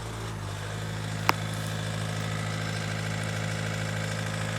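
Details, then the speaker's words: Ford Galaxy Mk4 2.0 TDCi diesel idling just over 1,000 rpm, steady low drone with loud diesel knock clatter, likely one injector under-delivering; no smoke, engine back running after a non-start fault. "I mean, it is only ticking over 1,000 RPM. just over a th00and RPM, but because of the diesel knock, it makes it sound an awful lot louder."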